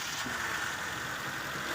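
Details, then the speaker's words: 1995 Mitsubishi Lancer, carbureted petrol engine running after fuel pump replacement, air cleaner refitted: steady raised idle because the carburetor throttle no longer returns; earlier it spat fuel out the top. "kung mapapansin niyo po ah one click po siya guys mataas lang yung kanyang Menor kasi may problema rin po yung kanyang karburador ngon hindi na siya bumabalik"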